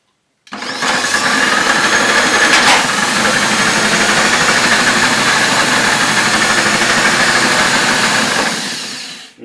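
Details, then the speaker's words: Hoover F3871 three-brush suction floor polisher, first switch-on after unboxing, handle stiff. Loud, harsh motor roar with a thin high steady whistle on top, giving off a smell; sounds unhealthy, cause not yet known. "That doesn't sound too healthy, does it? Oh, and it smells."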